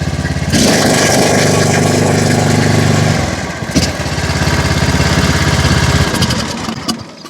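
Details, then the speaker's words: John Deere Z225 zero-turn single-cylinder engine after head gasket replacement, carburetor fix and fresh oil (previously ran only on choke, smoked from dipstick and fuel pump breather): fires right up to an even, steady beat with no misses and no smoke. "Let's fire it on up right now. Come on, baby. Listen to that baby purr. Oh yeah."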